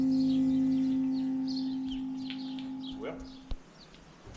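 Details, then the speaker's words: 1991 Chevrolet Camaro RS: the old in-tank pump, powered directly by a probe, is pumping fuel out of the tank. There is a steady mid-pitched electric whine that then cuts off, and the return line only drips. Normal fuel pump whine. "Yeah, the return line is just dripping, but you can see she's pumping out pretty good. Hear that pump whining?"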